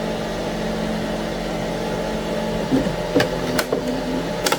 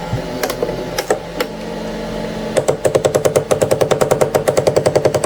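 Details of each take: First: Anycubic ACE Pro filament feeder, red slot retracting: steady low motor hum and smooth gear whir with no rhythmic clicking, only a few stray taps; normal, unlike the first slot, which grinds. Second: Anycubic ACE Pro filament unit, first slot with white filament, retracting: rapid train of sharp clicks, about two dozen in three seconds; feeder gear skipping and grinding, gear placement suspected, not confirmed.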